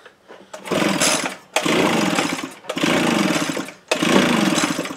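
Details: Echo leaf blower with a gummed carburetor from gelled fuel and a dirty spark plug: the engine catches in short surging bursts about a second long and dies between pulls; hard starting and rough running, and worn rings are suspected.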